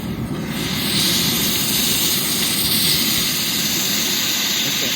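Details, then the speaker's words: Oxy-acetylene cutting torch flame: steady harsh hissing roar with uneven flutter; tip plugged up, may need a new tip. "tip plugged up when little boys use the tip gets plugged up might have to put a new tip"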